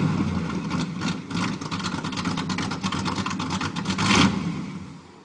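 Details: 1987 Chevy 350 V8 with cam and flat-top pistons, just bought, first start, needs a tune-up: choppy, lumpy bursts as throttle is blipped, then settles; rough-running under revving.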